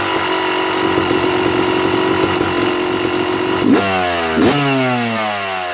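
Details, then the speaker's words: Two-stroke dirt bike (YZ250/KX250 type, Mikuni/Keihin carb) with the pilot air screw turned out an extra one and a half turns idles fast and buzzy, then sags and hunts when blipped; it is running lean and drawing too much air. "all right you hear the difference when the bike was idling a little higher than normal all i did was adjust the air screw i turned it out another full turn and a half and the idle was picking up which means it's sucking more air through the carburetor which is not good"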